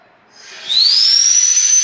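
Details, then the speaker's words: Truck during engine install, system fired up with a hose end left uncapped: sudden loud hiss rising into a steady high whistle as pressure builds, air escaping from the open hose end. "We forgot the end! Dedek, we forgot an end!"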